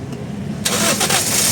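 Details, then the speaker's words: Toyota Vios after a fuel pump repair, with fuel pressure now about 40–56 psi. A short crank, then it catches immediately and settles into a smooth steady idle with no check-engine light: normal start. "Sige start. Yun na andar. Umandar."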